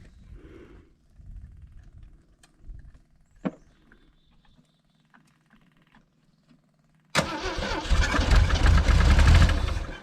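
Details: 1980 Jeep CJ (stated as CJ7 or CJ5) with 258 inline-six, sat 20 years, choke closed: starter churns hard with ragged near-firing pulses that never catch; runs only with an added source, dies when removed, something missing in the ignition.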